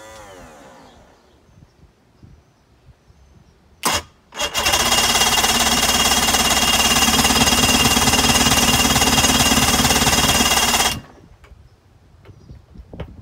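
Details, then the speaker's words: 2005 Mercury 115 two-stroke outboard on a 17ft Mako center console: after a couple of false pops it catches, runs hard and buzzy about six seconds, then dies abruptly. Spark confirmed; it runs only on starting fluid. Owner suspects bad gas in the carburetors. "Okay guys, so now we do know we got spark. It seems to run good. Well, kinda on starting fluid."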